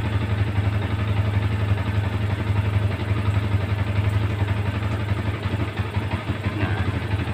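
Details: Yamaha Vixion after fixing the flashing indicator light: even, steady low idle at about four pulses a second with no stumbles. Runs smoothly without misfire; charging measured normal at 14 V.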